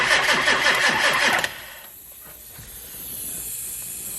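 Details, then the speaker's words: Engine on high idle just after turbo pedestal mounting: starter cranks in quick rhythm, then a faint steady hiss of air escaping; leak traced to a loose screw plug on the turbo pedestal, to be tightened. "what does that leak that doesn't sound good we've got air coming out somewhere where's the air coming out of i have no idea turn it over"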